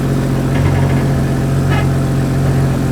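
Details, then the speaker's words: Toyota Supra (B58) idling while being driven onto ramps for an oil change: deep, loud drone with a raspy edge from an audible exhaust leak. "You guys can hear the exhaust leak."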